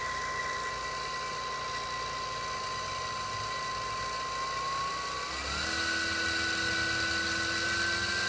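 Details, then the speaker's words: 3HP spindle motor on the bench driving a 2x72 belt sander drive wheel held by a separate support bearing so the belt pull doesn't load the motor: clean whine climbing to about 6,000 rpm with no rub or bearing growl, healthy. "running a 6,000 rpm now after them"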